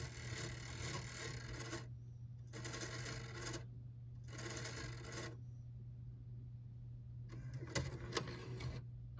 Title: Weird grinding noise ps5